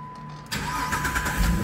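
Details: 2011 Jeep Liberty with an intermittent hot no-crank, after tracing the fault to the ignition switch and retesting. Quiet with a steady chime, then the engine catches at once and settles into an even idle. Normal crank and start.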